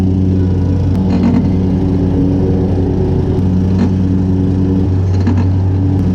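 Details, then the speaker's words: Hustler Super Z 66-inch mower deck, close to 2,000 hours, engine running; intermittent harsh scraping bursts as center and another blade strike each other — cause unconfirmed, possibly bent spindle. "you could definitely hear the grinding and it's it's very intermittent it's only when these blades are sinking up under there to come in contact with one another at the same time"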